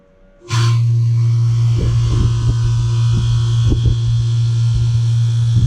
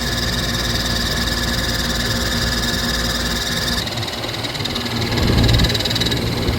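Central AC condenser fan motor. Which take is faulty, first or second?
second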